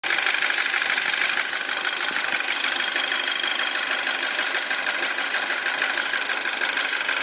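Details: 2007 Audi A4 at cold idle: a fast, high-pitched chirp or squeak repeating about three times a second over the idle. It disappears once the engine reaches operating temperature; the source is not yet found.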